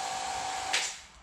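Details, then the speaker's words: Vacuum hiss from a carbon-infusion setup with no vacuum gauge fitted: a steady airy hiss with a thin constant tone that cuts out after a brief rush. The leak came from a chamber o-ring that popped out of its groove; it was reseated. "I figure if I can pull the vacuum down to a point where it looks like it's staying we definitely have a lick but it actually sounds like it's coming"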